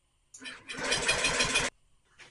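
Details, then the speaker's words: Honda Metropolitan scooter with 3,755 miles, fuel system cleaned, brake held for the safety interlock, throttle open: a short burst of cranking and sputtering that never catches. There is a fuel puddle under it, and the owner wonders if the engine is worn out. "it's not it's not alive I failed there's a puddle of fuel under it but it kind of sort of wanted to a couple times"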